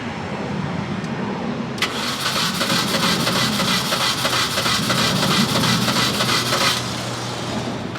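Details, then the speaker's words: Supercharged 2006 Mini Cooper S, after new spark plugs replaced old charred ones: starter cranks steadily about three turns a second for five seconds without catching. Crank no start; a compression test is next. "alrighty ladies and gentlemen moment of truth and i hope hope it was that easy it was not that easy"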